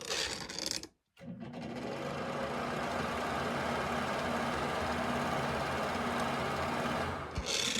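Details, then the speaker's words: Worn bathroom exhaust fan screwed into a floor joist: loud rough hum with buzzing rattle heard through the house, noisy for months or years; motor and fan wheel replaced. "things are supposed to be a lot quieter than that this one does not sound healthy"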